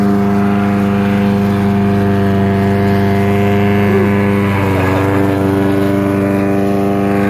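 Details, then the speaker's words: About 11-year-old Troy-Bilt lawnmower with a fiberglass repair, uses a little oil: steady low thrumming drone pulsing about three times a second like a helicopter over the engine; unusual droning noise, cause unknown. "Y'all hear that noise, everybody? The Frankenmower starting to sound like a Mickey D 500."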